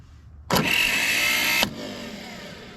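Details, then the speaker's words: Ford 6600 tractor starter, tested with jumper wire after 8 years sitting. High steady whir about a second, no engagement clunk; starter free-spins because the Bendix pinion isn't slinging out, to be treated with WD-40 and pried. "Is that slinging out? Can you tell? I can see it's just spinning."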